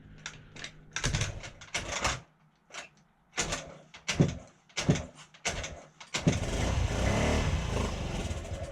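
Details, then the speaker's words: 2008 Honda Ruckus scooter after sitting unused over 5 years, fresh gas and starting fluid: sputtering bursts that catch and die, then uneven lumpy running; carburetor jets found clogged. "to think running it wasn't running all that well so I thought some of the Jets inside the car were clogged up so I took that apart cleaned it some of them were clogged up"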